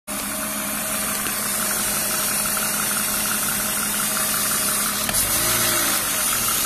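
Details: BMW E36 328i Cabrio M52B28 at idle: loud constant hiss from under the intake manifold plus faint rattle seemingly from the engine itself, not the Vanos; owner suspects old oil, change long overdue; hiss and rattle.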